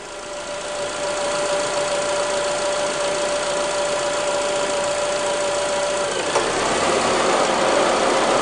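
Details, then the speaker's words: 2005 Honda Accord 2.4 VTEC idling after belt squeal repair; faint even hum with no squeal or chirp as the aircon cycles on and off, tensioner and pulleys steady, belt running true. "but yeah it's a lot quieter obviously no squealing at this point with the aircon coming off and on"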